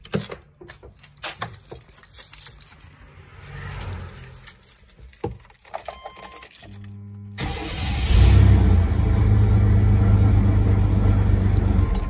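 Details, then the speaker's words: 1994-2004 S10 Blazer after starter replacement (old starter had broken-loose small bolt stud, suspected cause of zinging); quick even crank that catches into steady idle, turning faster than the old starter; normal starter cranking and start. "better. It actually even sounds like it's turning a lot faster than the old one was."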